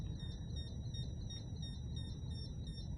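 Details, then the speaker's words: Dolphin Neurostim unit on an acupuncture point: steady high chirps pulsing about three times a second over low room hum. The high pitch and the light going out indicate the correct point; it is working normally. "when you're on the right place you'll hear the high pitch and you'll see that the light goes out"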